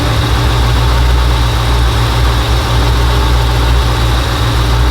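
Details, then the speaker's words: The "Iron Man" V8 truck after a repair: a deep, steady idle with an even beat and no skips or stumbles, running on all eight cylinders, with exhaust gas smelling right after a short back-up and pull-up. "The gas coming out of there smelling good, so everything seems to be right. Sounds like it's running good."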